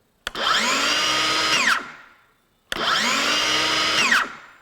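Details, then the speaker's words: Craftsman V20 brushless 7-1/4" circular saw CMCS550B with electric brake, on a 2Ah battery, free-running: two runs, motor whining up to full speed in a rising tone, then braking sharply to silence within half a second; healthy brake. "And this does have a brake. Now don't judge this as far as its speed at this point because I have a 2 amp hour battery on it, but I'm gonna start this guy up and show you the"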